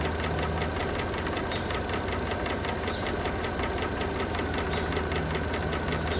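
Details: Mercedes W211 2009 3.5 engine at idle: a sharp, regular knock of roughly two to three per second over the hum; engine knock, cause being investigated.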